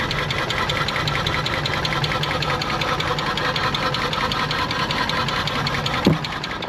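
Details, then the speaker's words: Nissan R34 Skyline, 149,000 km, parked 10 years, stale fuel, no coolant, first self-sustaining start: an uneven, lumpy, stumbling idle with a loose ticking clatter over it, misfiring and running rough. "The fuel is stale. The engine sounds like ass. It's got no coolant in it, but she's actually staying on under her own power."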